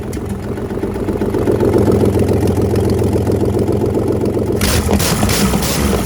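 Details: Boat inboard engine just reinstalled and primed through the primer jets, first start with the timing not yet confirmed: loud, settles into an even, quick idle beat, then revs crisp and strong without misses or knocks; healthy running, manifolds still to be fitted.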